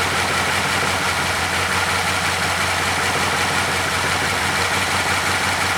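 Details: 2012 Chevy Caprice PPV 6.0 V8 after repairing damaged camshaft position sensor wires (codes P0340, P0341, startup issues): steady even idle with smooth low hum, no knocks, misses or ticks; running cleanly.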